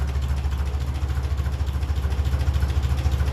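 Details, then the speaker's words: 1957 Ferguson 35 TVO tractor idling, not yet fully warm, at about 400 rpm without choke: a steady, low, even thumping that sounds a bit thin, judged slightly lean before the idle mixture screw is adjusted. "I don't think that sounds too bad probably just to touch lean"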